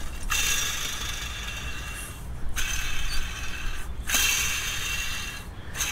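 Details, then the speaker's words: Throwout bearing from a 6.7 Cummins Dodge Ram's noisy South Bend clutch, turned by hand after removal: a rough, dry ratcheting grind. It sounds worn; cause suspected, not confirmed. "I don't think it's supposed to make that noise."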